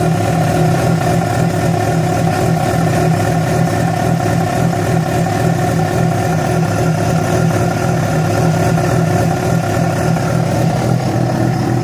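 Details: Yamaha FZ6 four-cylinder with a busy drone and an uneven mechanical clatter that holds steady with the revs; began after riding about 70 km on two cylinders due to a failed ignition coil connector; cause not pinned down.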